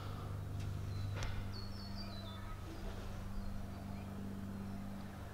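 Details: Twin-turbo V8 Landcruiser idling after its first tune, boost line reconnected and kinked boost-controller hose fixed; running far better on much less fuel: quiet, steady low exhaust burble, not obnoxiously loud but audible; normal, healthy idle.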